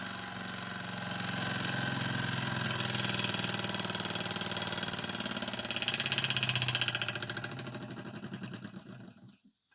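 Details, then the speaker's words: Mamod model steam roller, not run in decades, cleaned and oiled with new belts, fire taken away: light, quick, even chuffing that slowly fades as the steam runs down; runs smoothly and sounds healthy. "It's amazing how quick it uses that little bit of steam once you take the fire away. But yes, the little mammod is working. Absolutely lovely."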